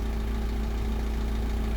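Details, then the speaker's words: 1999 Isuzu NPR 4.8 turbo diesel, 132,000 miles, set to low idle, just started: steady even idle with constant low vacuum pump hum, pump runs about 30 seconds; no knocks or misses, healthy. "So you got a basic vacuum pump that turns on for about 30 seconds. It should shut off in a minute."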